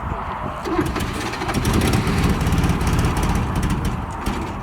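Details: 1979 Porsche 924, being worked on for starter and fueling problems: short burst of steady cranking, then engine catches cleanly and settles into an even run; starts normally, sounding way better.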